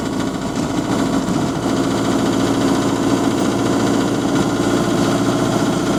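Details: GAL SE101 bus on route 286, diesel idling with a dull, uneven knock tapping through the clatter about three times per second, consistent with a worn rod bearing; rod knock, also noted door buzzer and limp mode without kickdown.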